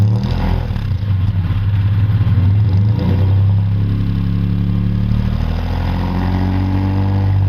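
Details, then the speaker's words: 1951 Studebaker Champion, engine revamped with owner-built headers and complete dual exhaust: deep lumpy exhaust burble with steady low throb at idle, no knocks or misses. Normal, healthy idle. "Wow, what a sound. As Bill said, you have never heard a champion sound like it, and he was absolutely right. It fires into life with a presence that it's impossible to ignore."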